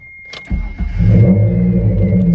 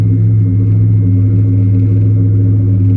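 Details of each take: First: Mitsubishi 3000GT after chassis swap with engine, transmission and gas tank moved over, near straight-pipe exhaust: brief crank, catches in half a second into a smooth even idle; healthy start, small rattles are loose exhaust tips. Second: Mitsubishi 3000GT after chassis swap with engine, transmission and tank moved over; smooth deep idle, then throttle blips with a harsh raspy edge; nearly straight-piped from downpipe to a dual-tip muffler, believed Flowmaster, resonators planned.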